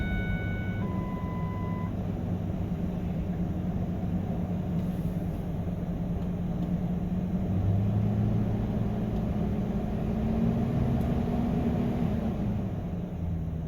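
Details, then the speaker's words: 2000 Ford Excursion Triton V10 idling after new spark plugs and ignition coils and a replaced steel line: steady, even low rumble, no misfire or leaks; owner notes a valve tapping (lifter or cam follower?). Normal idle. "oh heck yeah that sounds a lot better I don't see anything leaking I don't hear anything out of the ordinary"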